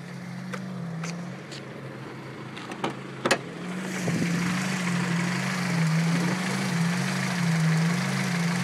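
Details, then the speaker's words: 1990 Prelude after a drive, idle gauge reading 0 and battery light on: low droning idle with a slow pulsing beat about three a second, louder as another motor (possibly the fan) kicks in. Owner hears the pumping noise near the intake; cause unknown. "It's that little, it's like a pumping noise. I don't know what it is. It sounds like it's coming from over there in the intake area."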